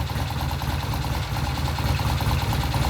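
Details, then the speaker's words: Vintage British motorcycle idling on a new temporary ignition system lashed to the frame, with new plug wires and timing set: even steady idle about four beats a second, no misfires or hunting; never sounded so good. "The bike sounds good. We've done the timing, we'll show you. That's the best it's ever sounded. Good. It has never sounded so good."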